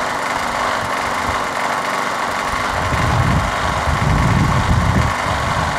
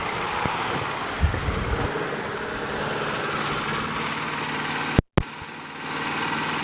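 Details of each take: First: Craftsman push mower, swapped engine, remounted, oily spark plug replaced with a better used one. Runs rough at start with uneven stumbling put-put and irregular pops while cold, smoothing after about 30 seconds of running. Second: Craftsman push mower with Briggs & Stratton Quantum engine after winter storage, primed and started. Smooth, even drone at steady speed without surging or hunting; healthy governed running.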